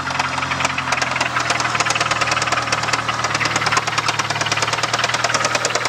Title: 97 talon tsi engine knock